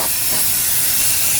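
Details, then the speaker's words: Pressure canner processing chicken thighs, venting about 10 minutes before the weight goes on, at under 5 psi: a steady, loud, even hiss of steam with no sputter or pulsing. Normal purge. "So now you can really hear that steam coming out now,"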